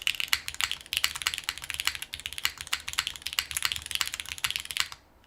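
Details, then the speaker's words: Syrin TKL mechanical keyboard, leaf-spring FR4 gasket-style mount: soft, muted clacks at a quick typing pace, evenly cushioned, no rattle or ping; very soft, well-damped sound. "I really like the sound profile of this."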